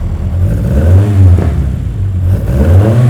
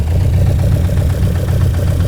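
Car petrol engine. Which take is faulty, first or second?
second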